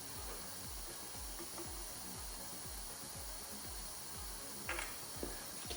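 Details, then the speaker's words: 1985 Honda XL250R RFVC, abandoned for years, low compression and backfiring: leak-down test at top dead centre with 20–25 psi, steady hiss of air escaping at the intake; intake valve had zero clearance, held open. "i feel a little bit of air coming out of this one so i'm going to do i'm going to check the valve"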